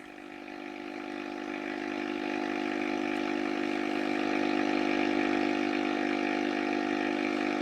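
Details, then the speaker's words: Valve radiogram during restoration test: a rough buzz swells then holds, caused by a noisy switch-mode power supply for an external hard drive in another room; it disappears when the supply is turned off. "I have got a very noisy power supply connected to an external hard drive"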